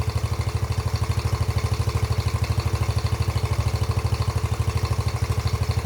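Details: Freshly rebuilt, nearly 40-year-old Yamaha YFM80 Badger single-cylinder quad on first heat cycle: steady even putter, no misses or knocks, slightly smoky burning off muffler paint; valves much quieter – normal idle.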